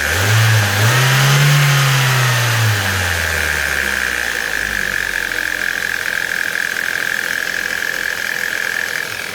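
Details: Ford Mondeo 1.8 petrol engine revs briefly, then settles while a steady high-pitched whine carries on over the running note; strange noise of unknown cause.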